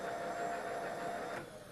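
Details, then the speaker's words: Milling machine power feed with continuously variable speed control: steady mid-pitched motor whine that rises with the speed knob, then the feed motor coasts down smoothly; normal run-down. "turn the knob up and you can see the handle turning turning faster as I turn the speed knob up you can hear the motor in the power feed winding down do that again"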